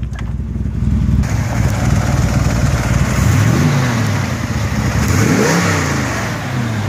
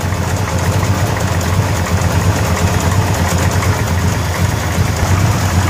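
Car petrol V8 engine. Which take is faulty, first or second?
second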